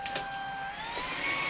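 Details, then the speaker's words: Shark IC160 DuoClean cordless vacuum after refurbishment, boost button held for more suction. Steady high motor whine climbs smoothly in pitch within a second as boost engages. Normal boost mode engagement. "you want more power you can push the boost button but obviously you have to hold it down if i just push it [Music] you have to hold it and then you can have some more suction power"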